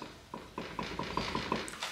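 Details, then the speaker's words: Yamaha Raptor 700 ATV jacked up, front wheel rocked by hand: a string of dull knocks about every fifth of a second from hub play; suspected worn front wheel bearings, owner also checking the hub. "hay que levantar el cuatrimoto con el gato y cuando hacen este movimiento miren ahí se alcanza a apreciar se escucha"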